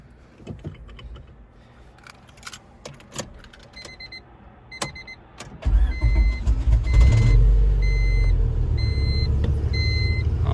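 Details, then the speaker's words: 1999 Honda Civic EX coupe, B-series engine: clicking and key handling, then the starter grinds briefly before the engine catches and settles into a steady idle; slow to fire, and the owner says it usually starts easier. "right usually it starts up a little easier than that um but you know what can you do"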